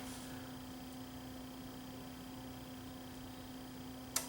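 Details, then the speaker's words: Panasonic TC-32LX700 TV with intermittent start-up, traced to grounds and interconnect plugs; steady low hum then one sharp click about four seconds in as the relay pulls in and the 24 V supply comes up; normal relay click at switch-on. "If I turn it off, if I go back to this pin here, as soon as that relay clicks, you'll see the 24volt supply come on."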